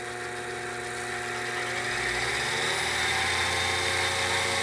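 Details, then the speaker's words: Grizzly G0781 mill after belt drive conversion with Little Machine Shop kit, at full speed: quiet, even whir, no knocking, slapping or belt squeal; super quiet, healthy drive. "we're in that quiet that is super quiet that's full that's full power right there like I mean full speed"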